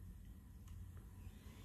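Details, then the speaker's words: PS4 console after cleaning dust out of its clogged cooling fan, recorded about five fingers away: only a faint low hum and no jet-like fan roar; the fan now runs quietly, fixed by cleaning. "can't hear anything and I'm only like about five fingers away from the PlayStation"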